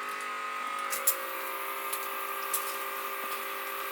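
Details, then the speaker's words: DIAFIELD automatic drip irrigation kit pump on a manual test run for watering orchids; faint steady small-pump hum with light water trickle and drips as water moves through tubing; pump runs smoothly and normally. "So there goes the pump, and you can see the water going through."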